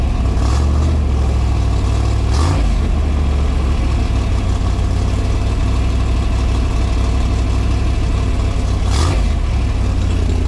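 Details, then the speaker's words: 302 cubic inch small-block Ford V8 in a Factory Five Type 65 Coupe, newly fitted with AFR 185 heads replacing Ford aluminum heads; first drive on light throttle on cold, damp roads gives a deep, even rumble with no knocks, ticks or strange noises. "so far so good no strange noises uh you know said we're going to drive this for a couple minutes"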